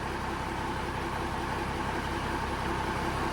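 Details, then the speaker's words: Peterbilt 359 diesel idle after replacing old squeaky belts and noisy fan hub: steady, smooth low rumble, no belt squeal or fan rattle; quiet, healthy. "But now, if you listen to it, she's just nice and quiet."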